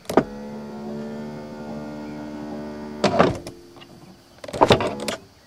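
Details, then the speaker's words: 1991 Mercedes-Benz 420 SEL power window: the motor whirs steadily for about three seconds, then gives short buzzing bursts while the glass barely moves, only a little; unusual failure, cause not yet found. "so it sounds like I write a regular power window motor when it goes down of course glass doesn't move anywhere and now I'll raise it up"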